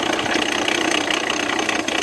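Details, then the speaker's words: Jeep Renegade 1.8 Flex at idle: steady idle under a harsh metallic rattle and hiss; loud engine noise, engine almost seizing, water pump suspected but unconfirmed pending teardown. "Barulho no motor do Jeep Renegade 1.8 Flex."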